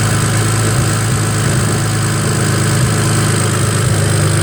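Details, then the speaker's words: BMW 335i just started from inside: lumpy petrol idle with occasional stumbles, a possible mild misfire; a charging malfunction warning appeared and a ticking followed; cause unconfirmed. "it sounds like a bit of a misfire and now this this came up it said charging malfunction"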